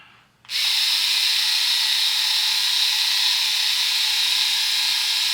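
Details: Philips Norelco 3000 Series electric shaver, about 3 years old, original cutters: switches on to a loud, high, steady buzz with a hissing edge and no let-up, about 71 dB on a decibel meter; worn blades due for replacing, new heads about 10 dB quieter.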